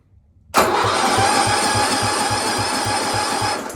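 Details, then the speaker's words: 1972 John Deere 110 with 8 hp Kohler engine, carburetor reportedly needs cleaning: slow even cranking, about three compression pulses a second for three seconds, never firing; has compression but no spark seen. "like we might have to take that step but don't see any spark but we can make it spark"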